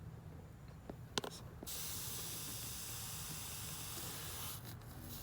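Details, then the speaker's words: Mitsubishi Eclipse GST with freshly built engine and idle surge, intake leak test: steady airy hiss starting suddenly with no rhythm, air through a cracked old rubber vacuum port on the throttle body; vacuum leak. "So when I did hook it up, right away I did hear a leak. I don't know if you can hear it. But yeah, it was coming from this port. See how it's cracked?"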